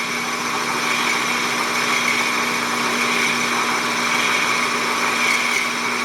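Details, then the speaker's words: Hobby belt-driven lathe boring a blind hole in a model Stirling engine part, at .430 taking a 20 thou cut: steady piercing high squeal with low tone beneath, boring bar chattering; chips packed in hole, belt may need tightening. "I'm going to take a 20 thou cut and see how that sounds. Oh, start squealing."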